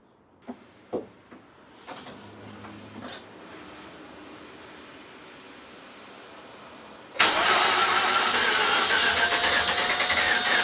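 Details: Mazda RX-8 rotary on its first start after engine rebuild: a few quiet clicks, then it catches abruptly and settles into a loud, busy, even idle; sounds healthy.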